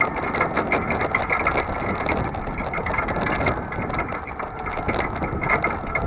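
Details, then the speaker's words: Vehicle towing a trailer on a chilly day, camera at the rear: constant loose metal-on-metal clatter from the trailer hitch over road noise, following the bumps; the usual creaky hinge is silent. "You're going to hear the trailer hitch rattling like crazy. It's metal on metal, so it's going to do that."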